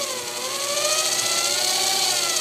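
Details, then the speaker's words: Grizzly G0704 mill after belt drive and treadmill motor conversion, stock motor driver, kept at low speed to break in new high-speed spindle bearings: soft, high, even whir gently rising, no rumble or rattle, much quieter; normal spindle run. "i don't have my tack hooked up um i do have a handheld tack so i need to break these bearings in so i don't want to run it up but much much quieter"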